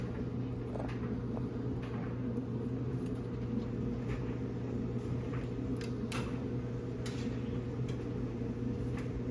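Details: Samsung dryer after cleaning, replacing the white drum roller and greasing the two blue rollers, fuses and heater checked: steady low hum of the drum turning evenly with a few light clicks, no scraping or squeal; normal dryer running.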